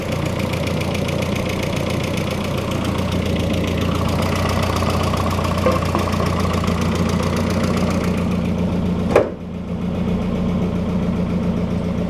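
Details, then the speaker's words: Freshly rebuilt engine on its first start after the oil and coolant were primed. Loud, busy idle with a fast, uneven ticking clatter over the hum, barely quieter with the hood closed. Source unclear; owner suspects it needs break-in. "I want to know why she's so noisy up the You see what it sounds like with the hood closed."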